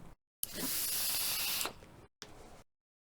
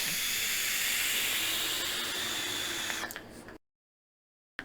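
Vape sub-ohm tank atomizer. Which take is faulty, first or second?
second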